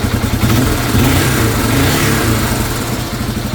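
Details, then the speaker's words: 2002 Yamaha TTR225 single-cylinder after a valve adjustment that cured a top-end tapping: revs rise and settle back cleanly with no tapping; valvetrain sounds healthy. "It sounds like a million times better."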